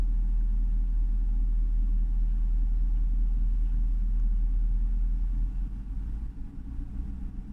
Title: Jaguar XFR rough idle warm engine